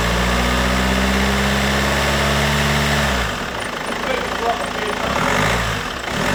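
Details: BMW 120d E87 with the M47 four-cylinder diesel after replacing all four glow plugs (fault code on cylinder 2) and cleaning heavy carbon from the inlet manifold and EGR valve: smooth, even idle, then it picks up cleanly with no misfire or knock. Normal idle and rev.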